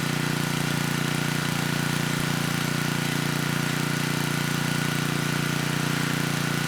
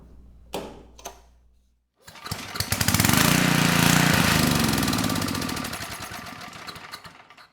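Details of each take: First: 10hp Tecumseh HM100 on a 6000 W Western Hemisphere generator with a replacement Oregon 50-656 carburetor, choke off after about 30 s of warm-up: steady, even low drone with smooth exhaust pulse, no hunting or misses. Normal running. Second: Tecumseh HM100 10hp single-cylinder engine on a Western Hemisphere G60MG1000TW 6,000 W generator, restarted after adding fuel: fires and runs a few seconds at a steady fast beat, then dies. Low-oil shutdown with switch light on.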